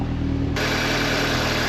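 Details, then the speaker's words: Audi TT at first start after a five-month misfire hunt (plugs, coils, injectors and compression checked, cylinder head rebuilt): a steady, slightly high warm-up idle, even beat, no stumbles or exhaust popping. Normal idle, no misfire. "That's nice. Idle's a little bit high at the moment, but I think it's probably just cuz it's going to warm up. Nothing crazy out the back. That's good. Sounds good."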